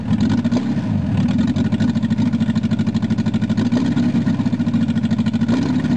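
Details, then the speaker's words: VW Rabbit long sat unused; it first raced wide open, then idled down after the cold start knob was pushed in and out. Now a steady, evenly pulsing idle with regular firing and no racing. Normal idle. "Well, I got her to idle down at least."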